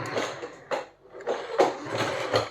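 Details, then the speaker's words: 1/10 CMJ Range Rover Sport two-wheel-drive toy RC car driven indoors: short bursts of harsh mechanical buzzing from the steering servo as it works; servo buzzing noise. "got that horrible horrible servo noise so i don't know what's going on there i've never had a toy rc car that does that"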